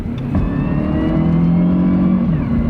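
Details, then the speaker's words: High-mileage older Honda CR-V automatic on the highway, from inside the cabin: faint high whine rising with road speed under acceleration over engine drone; mild transmission whine, not outrageous, plus door air leak noise. "can hear the little whine in the tranny, but it's not outrageous."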